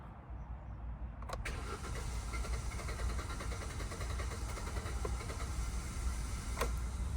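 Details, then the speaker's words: 2016 Hyundai i20, abandoned non-runner: the engine cranks, catches and ticks over with a rough uneven idle for a few seconds, then cuts out; fuel suspected, likely stuck or sticky injectors after long sitting, not confirmed. "it is firing up I can demonstrate that again now and it does just briefly fire up ticks over for a few seconds and then just cuts out"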